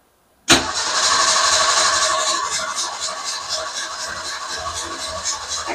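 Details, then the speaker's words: Car that died while backing in, fuel system suspected: steady starter cranking at about four turns a second with no firing at all, even after pumping the gas; owner suspects a plugged fuel line, fuel starvation. "Nothing. Nothing. Why nothing? You don't understand. Makes me think the fuel line is plugged."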